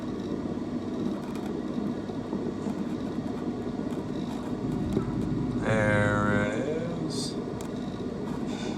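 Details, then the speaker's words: Coleman Evcon furnace in a mobile home, after the igniter is replaced: a steady hiss and hum, then a soft whoosh with a brief rising tone as the burners light cleanly. Normal burner ignition. "We should get ignition here."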